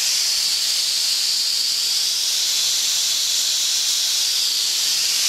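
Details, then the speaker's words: Steam safety valve being set: loud steady high-pitched hiss that keeps venting without reseating; popped at 120 but didn't reseat until 80, excessive blowdown, still being adjusted. "I'm still adjusting it now I popped off 120 now it's 80 so that's way off but we'll get"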